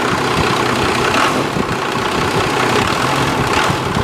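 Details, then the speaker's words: 1995 Dodge Cummins 12-valve P-pump diesel, 172,000 miles, revived after sitting abandoned: long crank, turning over and stumbling unevenly after the fuel solenoid was pulled up with 12 volts; owner suspects air purging from the fuel lines. "I pulled it up and it's holding up. So there is a 12 volts to it. Oops. Must be getting the air out of the lines."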